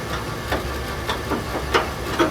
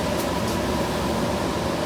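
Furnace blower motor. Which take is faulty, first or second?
first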